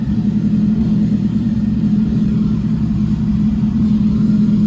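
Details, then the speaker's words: Freshly built 10k-rpm Nissan MR16 engine at first start, idle adjusted after initial stall: smooth, even low hum with steady beat, no knocks or ticks, good oil pressure, no leaks; normal idle. "we got it idling pretty good"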